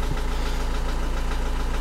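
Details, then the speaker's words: Renault Trafic / Opel Vivaro 1.9 dCi diesel at idle: steady idle with a hard, even knock tapping roughly twelve times a second from inside the engine, origin unknown; engine knock at idle. "в общем-то какой-то странный звук на реноult трафике появился Я надеюсь вы его сейчас слышите"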